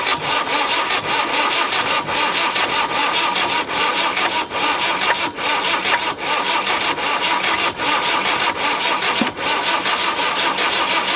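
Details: Land Rover 90 with a normally aspirated diesel, unstarted for 8 years and given oil down the cylinders, fires and keeps running with steady diesel clatter and a slight pulse about once per second.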